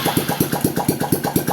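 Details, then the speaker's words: Honda Revo FI that wouldn't start on the starter, needed long kickstarting and stalled off throttle, after valve lapping, new valve seals and gaskets: crisp, even exhaust beats at about eight per second with no stumbles; idle now smooth, the leaking valve fixed. "Hasilnya mantap sekali ya. Yang tadi bunyinya tidak lancar, sekarang lancar sendiri teman-teman."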